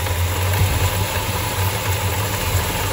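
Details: 1968 Dodge Charger 383 big-block V8, after carb idle mixture screw backed out and passages blown out with no further change; deep, loping, lumpy idle with no clear knock; vacuum gauge reading poor, cause not yet pinned down.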